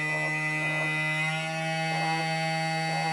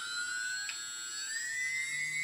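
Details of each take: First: TBS Discovery multicopter, second original G brushless motor, balancing attempted unsuccessfully, vibration checked with phone seismometer app: buzzy whine with slow rhythmic roughness; out of balance, strong vibration felt on table when revved. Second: TBS Discovery build, one of the good G motors starting up on a table, vibration checked with iPhone iSeismometer app: clean steady high whine climbing slightly in pitch, no rattle or wobble, barely any vibration felt through the table.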